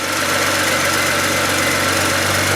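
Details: BMW E90 335xi petrol engine idling steadily with an even hum, no stumbles, after swapping cylinder 1 and 2 ignition coils and changing plugs for a P0301 cylinder 1 misfire code; no fault codes now.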